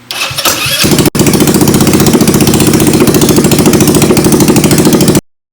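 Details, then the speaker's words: YS200 Yard Sport after CVT drive belt and clutch replacement, muffler off, in neutral: cranks, catches, settles into loud rapid popping idle with harsh raw bark, loud because muffler removed. "gonna start it up it could be a little loud because the muffler is not on there if it will start up"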